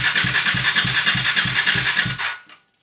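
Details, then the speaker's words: KTM Duke 390 V2 sat over a month: no fuel-pump priming hum, only ride-by-wire whine; starter cranks in even chugs about three a second without firing, LiPo4 battery dropping from about 13 V; crank no start, fuel pump not priming. "Hindi mo talaga marinig yung tawag nito yung tunog ng pump. 'Yung naririnig mo 'yung dito 'yung parang matining na tunog nandito galing sa kanyang ah ride by wire pero yung pump wala kang maririnig tapos pag ni-start ganito nangyayari."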